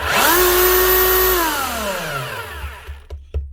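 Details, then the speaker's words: 24-year-old (2000) Makita HR3000C SDS hammer drill in hammer-drill mode: the motor winds up to a smooth, high, steady whine, running too free and fast with no hammering beats. Suspected broken piston or crank in the head. No hammer action. "doesn't sound right doesn't seem to be any hammer out of it a right she's running way too free and fast so there's something going on up in here in the head of her she's not engaging the actual hammer drills working fine just not hammering"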